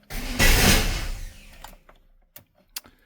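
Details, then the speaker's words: GMT400 Chevy OBS pickup revived after long sitting, first start attempt: the engine catches in one rough burst, dies, then gives a few lone pops. Rough start because the spark plug wires were one position off on the distributor cap. "I might need to check my wires. Yeah. All right, I think I had the spark plug wires off one position on the distributor cap."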